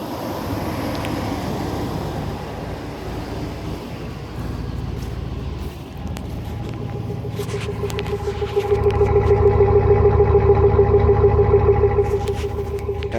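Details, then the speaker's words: Old GMC Sierra truck cold start on a 47°F morning: starter cranks awfully slow in labored beats about three per second before it starts; weak battery dragging the crank, owner says it won't start in winter. "As you can hear, it starts, but as you can hear, it cranks awfully slow."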